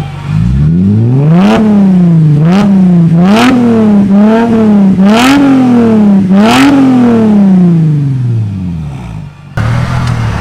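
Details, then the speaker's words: Mercedes SLK 350 after repair of exhaust rattles: several sharp throttle blips rise and fall cleanly with a deep, even exhaust note and no rattles or buzzing; exhaust sounds normal. "Alright, that sounds sick."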